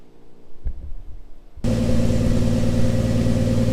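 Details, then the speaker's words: 1955 Chevy 3600 truck, 235 straight six (likely 1951 block), after carburetor rebuild: first start, catches and settles into a smooth, even idle with no misfire or knock, a little smoky from oil added to cylinders; healthy. "it's alive it actually sounds really good a little smoky but I put a lot of in the cylinder so I'm not surprised by that"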